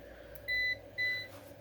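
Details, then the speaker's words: APC BN450M 450VA (255 W) UPS at about 230 W load: two long steady high beeps about half a second apart over quiet room hum, before unplugging, reason unclear; on battery it then lasted about 40–45 seconds. "why does it keep beeping so it's beeping down here for some reason"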